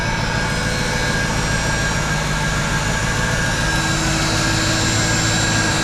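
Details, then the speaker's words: Mercedes SLK 55 AMG (R171) with M113 engine, first start after drive pulley and serpentine belt replacement; steady, even idle with a faint belt hum and no squeal; sounds healthy. "yes that sounds sweet"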